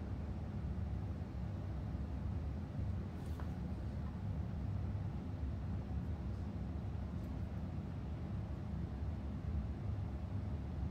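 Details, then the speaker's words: KES shower valve after gluing floater to sleeve with two-part epoxy: only steady low rush of flowing water, no rattling or banging; fix worked. "sleeve and floater are aligned to allow for unrestricted water flow here is glued valve and rattling is gone"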